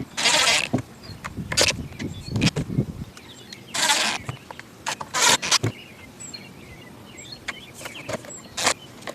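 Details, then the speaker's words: Weed eater two-stroke after removing the clogged exhaust spark arrestor screen and turning both carburetor adjustments slightly counterclockwise: fires up and revs cleanly up and down without bogging, no longer bogging or failing to idle. "Runs way better now."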